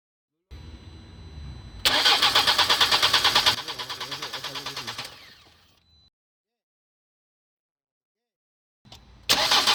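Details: 2015 Nissan Qashqai cranks but won't start: the starter spins with steady pulses, about three per second, and the engine never catches; caused by an airlock in the fuel line.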